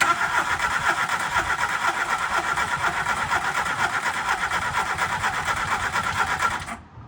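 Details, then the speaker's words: MK2 Golf 1.6 Driver, cranking after fitting a coil that reads okay on a multimeter (earlier weak then no spark): starter churns evenly about two turns a second for six seconds, never catches; no spark, ignition module at fault. "We fitted the coil, no brum brum spark as you'd probably seen."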